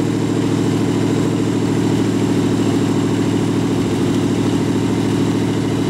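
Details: Rat rod truck idling with a York AC compressor converted to a belt-driven air pump for an air-bag suspension, building tank pressure, switch set near 100 psi; even steady low drone, no misses or knocks while pumping, normal idle.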